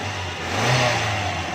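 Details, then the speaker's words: 1982 Toyota Corolla engine catching cleanly and revving smoothly with no misses after carbon buildup inside the battery terminal was cleaned, fixing a no-start despite a new battery and a good starter and alternator; now runs properly. "इसका main problem था बैटरी के अंदर कार्बन जमा हो गया था इस टर्मिनल के अंदर। हमने साफ़ किया है तो इसके सारे मसले क्लियर हो गए हैं।"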